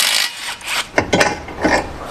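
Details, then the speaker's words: Car ball joint with torn dust boot worked back and forth: dry gritty rasping from sand ingress and dried grease, loudest after rain or washing when steering or on bumps; fixed by replacing the ball joint. "放一夜以后，第二天我们在行驶的过程中打方向或者走颠簸路况，这种磨损声音就是从这里发出来的。"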